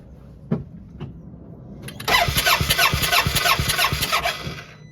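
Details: 2014 Polaris Ranger 900 cranking with a spark plug out for a spark check: quick, even starter churn about three seconds with no firing; crank-no-start, caused by skipped timing.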